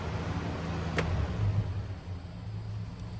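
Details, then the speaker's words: 1985 Toyota 60-series Landcruiser on LPG, stored ten years, cranked on lithium battery: even strong cranking about three low thumps a second, no dragging or uneven beats; compression sounds healthy, not down a cylinder. "yeah it's turning over nice too sounds healthy it definitely doesn't sound like it's down oner anything"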